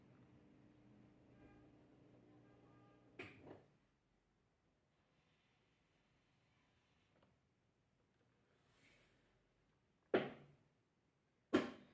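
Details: Whirlpool Xpert System 18 kg washer that made loud noise on spin, after the part was replaced, on a drain and spin test. Low, steady hum with a faint whine for about three seconds, then quiet clicks; drain pump runs smoothly.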